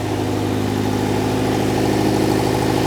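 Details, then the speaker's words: V8-swapped Mini, wrecked after a crash, started after a throttle cable fix: low, lumpy V8 idle with an uneven beat that stumbles now and then; owner suspects a misfire, not confirmed. "It It runs. I think it's misfiring. I think it's misfiring, but it's running."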